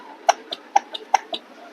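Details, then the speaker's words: Ceiling fan with worn (cut) shaft that moves in and out, making the fan wobble and stick as it runs: sharp knocks about five a second, alternating loud and soft, over a quiet hum; knocking from worn shaft, before repair. "दोस्तों आज हमारे पास एक ceiling fan आया हुआ है जिसकी की shaft कटी हुई है एवं शाफ्ट कटे होने के कारण यह अटक अटक करके हिल हिल के चलता है और इसमें खटखट की आवाज़ आती है।"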